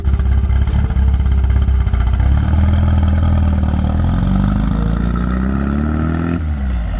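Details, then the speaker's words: 1972 Super Beetle with a reportedly recently rebuilt engine and big cam, after new points and plugs replaced badly worn points: a steady air-cooled rumble climbing smoothly in revs. It no longer chugs pulling away in first gear; running normally and better. "I just took a little ride around up there, and you can definitely tell that it's running better."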